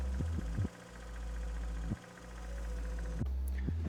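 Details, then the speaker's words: Red Mazda RX8 rotary after an engine swap, idling once the water pump was no longer flapping, still with its catalytic converter. Steady, even idle hum at constant pitch, sounding healthy while burning off oils and ATF left from an earlier start attempt. "Burning off all the oils and the ATF fluid from when we tried to start it before the engine swap. That should sound kind of good."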